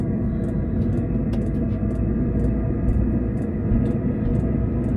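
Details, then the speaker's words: Vevor diesel heater newly installed in a Jayco Journey caravan, turned up from minimum toward maximum output. Steady fan rumble with the fuel pump ticking about twice a second, ramping up; normal operation. "Yeah, so I can hear it ramping up. The pump's kicking a little bit more. But yeah, so far so good."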